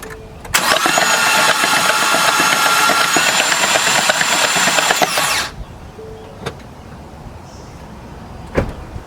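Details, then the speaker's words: 2016 Ford F-150 3.5 V6 spun over again with fresh-looking oil after clearing transmission fluid from the cylinders: about five seconds of even, quick crank with no binding; engine not seized, normal cranking. "The oil looks fresh, so it don't look like none of that transmission fluid went down past anything. I'm gonna spin it over one more time just to be sure."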